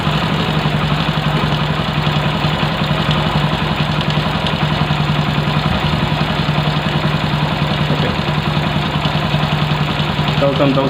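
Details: Single-cylinder bike idling after carburetor air screw adjustment, with a firm, regular beat that holds its speed; the carburetor is properly adjusted and the idle is normal.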